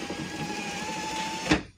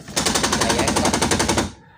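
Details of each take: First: Car power window after repairing the motor gear that was skipping while raising: a steady motor whir with a thin whine runs for a moment, then stops with one firm thunk in auto mode; normal operation. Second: Car power window going up: rapid sharp clatter at top of travel as the motor gear skips; owner suspects a worn or jammed gear, found shifted gear on disassembly.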